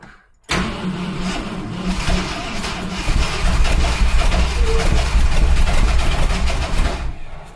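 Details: 1971 Ford F100 big-block V8 on makeshift battery cables: starter churns about four beats a second, engine briefly fires and picks up but never settles; cranks but will not start.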